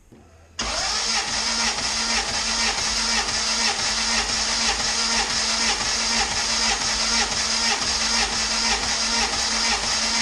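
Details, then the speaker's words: Compression test on a turbo GSR-swapped EG hatchback, spark plugs out, cylinder three. The starter cranks at an even, unhurried beat with a weak bite. It reads about 90 psi and takes extremely long to build compression; low compression. "all right so we got about 90 on that one too and it's definitely taking extremely long to build compression"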